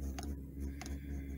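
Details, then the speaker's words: Diesel air heater after stopping with E08 code despite fuel, with a smoking battery: pump starts, glow plugs fire, ignites; steady low burner rumble with dosing-pump tick about every 0.6 s, slightly uneven; owner suspects the exhaust against the battery caused back pressure; rough running. "Okay, there goes there went the glow plugs, and it's ignited. I'm gonna try and turn that way. You can tell it's something not quite right."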